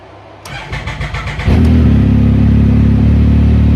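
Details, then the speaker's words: 2019+ Yamaha YXZ1000R with new Weller turbo kit, tune being checked: about a second of cranking at roughly four beats per second, then prompt catch into a steady even idle; normal start and idle. "sounds good. Sounds alright. Promising."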